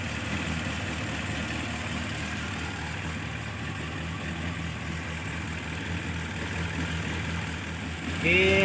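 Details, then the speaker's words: Carbureted engine that was hard to start, sputtering and down on power, after disabling the solenoid valve and charging the battery: it starts at once into a steady, low, even idle with no misses, now running normally. "dan responnya bagus jadi sudah normal ya sudah bisa di starter langsung hidup"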